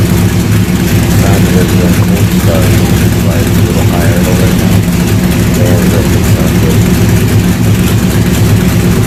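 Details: C3 Corvette with LS swap and newly built stainless side-pipe headers, first run: deep, loud V8 burble at steady idle, even firing pulses, no ticks or exhaust leaks heard; sounds healthy.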